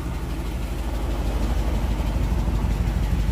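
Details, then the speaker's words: 1957 DeSoto Firesweep V8 with side pipes at idle: deep lumpy beat with uneven puffing about three per second and an exhaust leak. "so when i first brought this car back it had a miss and sounded like it had an exhaust leak and stuff and we did a compression test"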